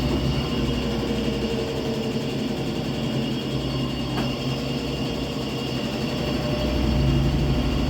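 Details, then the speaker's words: Washing machine on spin after replacing the drum mechanism, bearings and seal to cure a loud noise on spin: smooth, even low hum with no roaring or grinding; the earlier airplane-like noise is gone. "acabou aquele barulho de avião"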